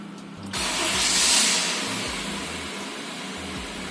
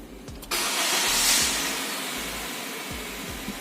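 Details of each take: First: 2016 Honda Mobilio E VTEC idling with one ignition coil deliberately disconnected: quiet idle with an uneven, stumbling beat and missing pulses. That cylinder doesn't burn properly; scan tool (G-SCAN 2) then shows an ignition coil malfunction. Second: 2016 Honda Mobilio E VTEC after EMS service, injector correctly reinstalled and DTCs erased: starter whirs briefly, engine catches and settles into a steady, even idle with no hunting or misfiring cylinder. MIL off; normal idle.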